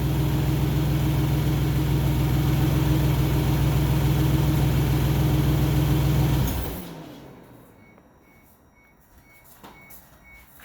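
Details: 2002 Isuzu Trooper LS, 3.5 V6 (6VE1) with 4L30E transmission, after alternator replacement fixed stalling and drivability issues: even, steady idle with no stumbles or surging for six seconds, then a clean shutdown; the engine is running healthy.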